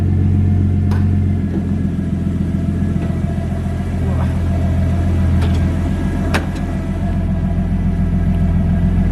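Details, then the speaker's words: Car after earlier idle trouble, warming after cold start, low on fuel: light test revs up to about 2,000 rpm, rising smoothly and settling back with no stumble, popping or hesitation; revs cleanly. "I'll give it a few little test revs, sort of up to 2,000-ish or something, and see how we go."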